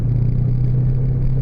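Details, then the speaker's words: 2000 Oldsmobile Silhouette minivan cruising at 20-25 mph: loud steady low growl whose pitch follows wheel speed, not engine rpm, and persists in neutral. Suspected worn drive axle wheel bearing hub. "so some at 20 mph now 25 you can probably hear it it's a loud hum or a growl"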